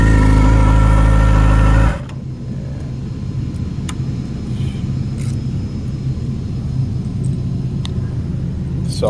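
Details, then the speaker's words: 2016 Yamaha R6 after a valve adjustment: a rev falling to idle with a faint whir from the right-side cam chain, which seems too tight. The cause was the exhaust-side cam chain guide retaining pin not seated in its hole. "think the uh cam chain is too tight but i don't know what the hell could be wrong i"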